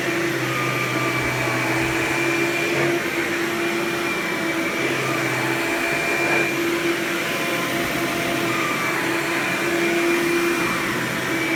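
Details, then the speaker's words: Hoover Power Drive Supreme U6318-930 upright vacuum, made June 1998, 120 V 7.8 A: loud steady high-pitched scream over even motor hum, constant throughout; normal operation. "I'll turn this vacuum on and demo it so you can hear it now of its screaming loud Hoover glory"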